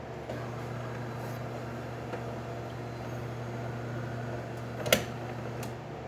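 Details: DeLonghi Perfecta espresso machine after grinder replacement and steam system repair, test extraction: low steady pump hum at even pitch with a brief cup clink; pump runs smooth and healthy.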